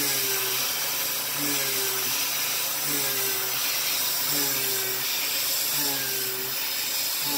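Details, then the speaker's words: Mill cutting with a YG1 3/8-inch three-flute uncoated end mill, adaptive clearing at 0.060-inch width of cut, about 2.23 MRR; steady clean spindle tone with no slowdown or added noise, cutting like butter. "okay well that cut like butter there wasn't uh a single hint of slow down or anything no noise or anything so right"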